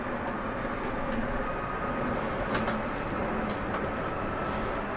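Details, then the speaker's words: Jayco Eagle HT 25.5REOK travel trailer, living-room slide room 2 extending: a steady, even motor drone with no knocks or grinding, then a brief brrr as the slide mechanism sets itself at full extension. This is normal and harmless. "And I wanted you to hear that. That brrr noise is okay. That's just the slide mechanism setting itself. It doesn't harm it in any way."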